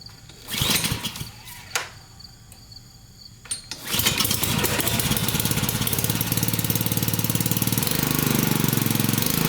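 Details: Honda-type pressure washer that wouldn't start after storage (gummed carburetor), after cleaning carb from outside with a solvent purge-valve kit: a few failed pulls, then the small single catches into a steady, even chug; normal running.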